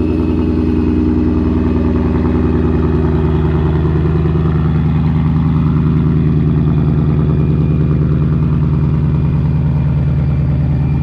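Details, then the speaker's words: 2019 Ford Mustang Bullitt with a Vortech V-3 Si supercharger on a cold start: a steady, deep exhaust burble with an even pulse, idling slightly high because it is cold, running smoothly; normal cold idle. "it's still kind of cold start so it's idling up a little high"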